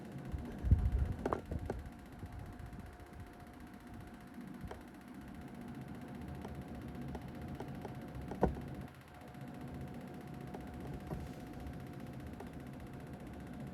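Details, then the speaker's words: Panasonic AC indoor unit CS-EU18AKY5XFM, bought November 2024: steady fan whir with faint hum, low rough "trrrr" rumble and scattered clicks since day one; technician said parts need replacement. "आप जो यह आवाज सुन रहे हैं वो Panasonic के AC की आवाज है। जो 6 महीने से मेरी नींद को उड़ा के रख दिया है।"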